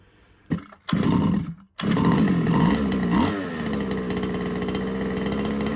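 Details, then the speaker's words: RC two-stroke from a used job lot: a small buzz that surges and dips because tick-over is set too high. It was not engaging at first. Hunting idle; the owner thinks the carb must come off for cleaning. "oh so I got it to it was engaging then but if you if you listen to it when it was on tick over the tick over was a little bit too hard so turn that down but you could hear it hunting at the was climbing then dropping"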